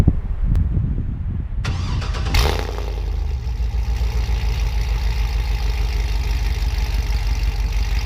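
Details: Trailblazer SS V8 with new headers, transmission recently checked; quick crank, clean catch, then a deep even burble with no knocks or misses; normal start and idle.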